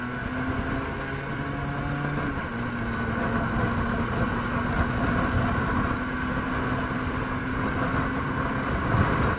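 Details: Vespa with Polini 177 long-stroke kit (186 cc), SI25 carb, BBS, Kheper V3 ignition, CNC central-plug head, Honda CNC clutch with 145% springs, 0–100 km/h run: engine pitch stays flat at full throttle as the clutch slips; fix is stronger springs.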